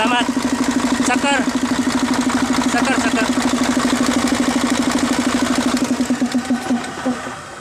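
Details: Mercedes-Benz 1841 truck diesel with a hard-starting fuel line problem; even, steady idle knocking along at about three beats a second, then winds down and stops; runs cleanly.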